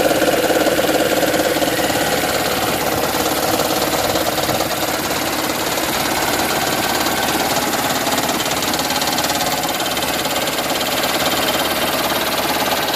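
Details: 2010 Toyota Prius idling engine with a fast rhythmic chatter of about three and a half beats a second, the so-called raptor sound; engine knock, cause not known.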